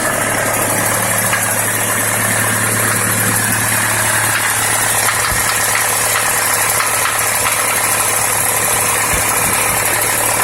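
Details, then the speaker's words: Warm ZMZ-514.32 at idle: engine silent when cold, knock starts suddenly about 3 minutes after start-up and gets more frequent as it warms; uneven knocking about two per second near the area shown, source undetermined. "Ну вот прогревается и начинает стучать где-то вот в области здесь вот, то есть"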